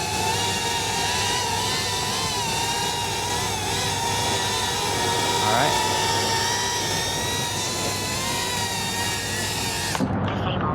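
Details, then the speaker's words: Mobula 8-frame whoop, 1003 14800kv motors, 2015 two-blade props, Betaflight master multiplier 1.6 in angle mode: even high motor whine rising and falling smoothly with throttle, the oscillation trill heard at 2.0 gone; motors cool afterward. "Yeah, you can hear the motors, that kind of, I guess, yeah, oscillation, that trill that we heard, kind of gone."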